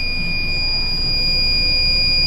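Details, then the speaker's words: Economy battery, fully charged at just over 12 V, held under a 300-amp load at about 11 V. The load tester's continuous high-pitched time-limit alarm sounds over a low fan hum. "This one right here, we're holding just over or just under 11 volts. There's my taking too long alarm."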